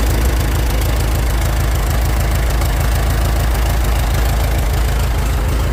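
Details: 1912 Continental Model E 345 cu in four-cylinder four-stroke engine in a racecar, warmed up: a deep, steady low rumble with slow, loose beats about three a second; normal warm idle.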